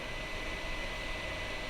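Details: 2008 iMac in a cool room about 69°F, all fans already replaced: constant airy rush with no rise or fall, fans running flat out; damaged fan-control PC board suspected, replacement planned.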